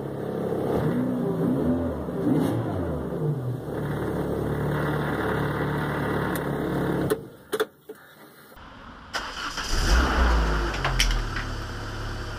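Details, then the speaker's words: Citroën AX 16V, first start in over a year after small repairs: catches quickly, settles to an even idle, restarts cleanly with light revs; normal start and idle, sounds healthy. "and as it turns out it starts just fine so yay that's good"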